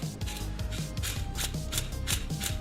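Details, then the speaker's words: Old clutch thrust (release) bearing from an M50B30 turbo BMW E36, spun by hand; gritty pulsing rumble rising and falling with each turn, noisy unlike the new one, though actual fault uncertain; replaced during clutch install. "as opposed to the old one it was quite noisy so if i spin that"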